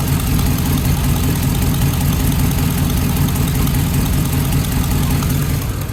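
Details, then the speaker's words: GM Hummer idling, with the customer reporting an exhaust noise: a steady low rumble with a faint, irregular puffing tick from a compression leak at a loose spark plug. "would be a loose spark plug there's your lady"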